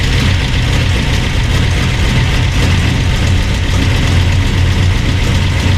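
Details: Burned-up rat rod "Doje'llac" V8 with freshly done carburetors, first run after the fire, oil burning off headers; deep even rumble at fast idle, steady beat, no knocks or misfires; normal running.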